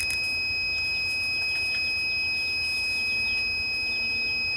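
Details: Tormach PCNC440 mill ATC low-pressure warning pressure switch, replacement under test wired common/normally open, regulator raised from about 55 PSI: steady high-pitched beep over faint air hiss; switch still signalling, cutoff near 65–70 PSI.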